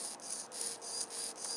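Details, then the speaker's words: RC plane elevator servo, newly installed; high, raspy grinding in surges about three times a second, gear train sounding rough, unlike the normal-sounding rudder servo. "leave a comment if this Servo sounds strange to you it's making almost like a grinding sound now listen to the road that sounds normal this doesn't"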